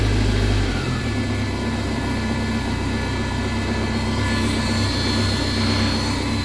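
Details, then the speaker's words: BMW K1100 motorcycle idling after fuel pump, fuel screen and filter replacement; steady even drone, no misses, ticking or pump whine; new pump much quieter than the old one. "hear it but uh it's much quieter than the last pump"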